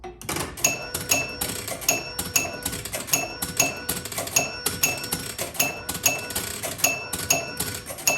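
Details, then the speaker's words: 1976 Bally Flip Flop electromechanical pinball, under restoration: after the ball drains with double bonus unlit, a steady run of bright chimes and relay clicks scores the 13,000-point end-of-ball bonus 13 times, the regular bonus working normally. "So, when we drain the ball, we should get 13,000 points. And the regular bonus does work fine. So, go ahead and drain the ball. And you can hear it score 13 times."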